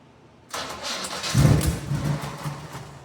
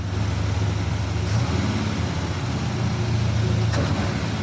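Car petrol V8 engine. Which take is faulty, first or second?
first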